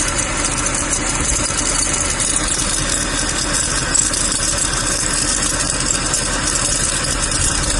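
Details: Mercedes-Benz W204 C63 at idle: a continuous fine rattling chatter from the belt drive over the engine note, from a bad pulley that needs replacing.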